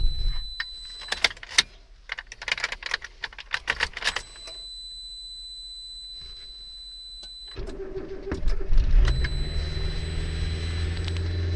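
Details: Suzuki Wagon R+: keys rattle, then the starter spins the engine steadily for several seconds but it never catches or runs. It cranks but will not start.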